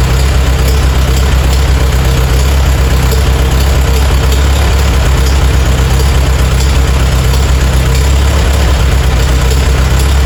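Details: Farmall A tractor revived after 10+ years idle (new radiator, fan, belts, hoses); deep, steady low thump at slow even idle, no misses or knocks; normal idle.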